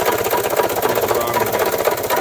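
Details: 1993 Toyota Tercel, jump-started, after reinstalling a bolt and found half to one quart overfilled with oil: loud rapid steady knocking over rough idle, won't accelerate; owner suspects rod knock, cause unconfirmed.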